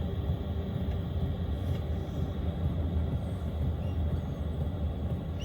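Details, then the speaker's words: Chinese diesel heater in a quiet install, running on its lowest setting: a soft, steady low rumble with the fuel pump inaudible. It burns evenly and quietly. "chinese diesel headers working that works so well and you can't hear the pump you cannot hear the pump at all"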